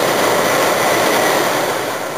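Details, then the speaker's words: Toyota Yaris (USDM) with JDM automatic climate control conversion, blower at max speed with the blower stack not installed: loud steady rushing whoosh easing slightly at the end; the noise is loud because the housing is missing. "Uh right now the fan is very loud because of the fact that the uh the blower stack is not in place. So we're really getting a lot of fan"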